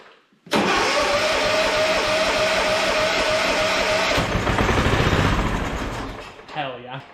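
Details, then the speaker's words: Retired lawnmower being revived for racing, sprayed with starting fluid: engine catches sharply, runs a rough idle a few seconds, then winds down and dies; won't keep running on its own. "Well, it started for a minute."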